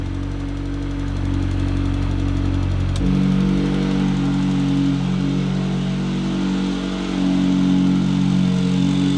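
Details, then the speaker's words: 1.8T-swapped Toyota MR2 idling with E-Cut electric exhaust cutout, switched from auto to on: steady idle jumps to a deeper, louder rumble as the cutout opens; engine idles evenly and normally. "and now it's loud. So yeah, and when they hit full throttle, it'll do this."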